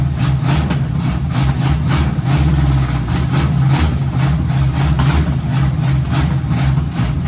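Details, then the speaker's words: 1951 GMC cab-over on its first start, fed by spray starting fluid, at a rough, uneven fast idle with loping pulses. A big vacuum leak is noted and was later temporarily patched. "Neat. Got a big old vacuum leak, but take care of that real quick."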